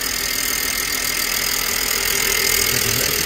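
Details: 2007 BMW E90 318i Convertible after a rocker cover gasket change: even, smooth idle with a steady hiss-heavy tone and no ticking or misfire; there are no oil leaks and it idles normally.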